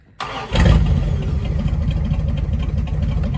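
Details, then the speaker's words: 1974 Dodge W100 Power Wagon V8, parked since 1983, after new ignition module and voltage regulator, running cool: catches quickly after a short crank and settles into a deep, steady, even idle with no misses or knocks; normal start and idle. "you don't get much better than that sounds like an old mud truck now we're not going in the mud look how smooth this thing is"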